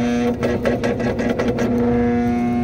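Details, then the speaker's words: Lennox rooftop unit with no heat, board code 66: after the pressure switch was checked and the unit restarted, the inducer motor runs with a steady hum and uneven pulsing rough flutter, sounding bad; diagnosis is a failing inducer motor. "like we got a bad inducer so that's pretty much what the problem is"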